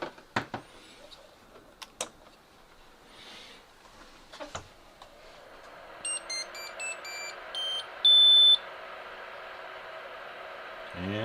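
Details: Used Anycubic Vyper 3D printer powering on: a few handling knocks, then rising electronic chirps and one longer beep as it starts up normally.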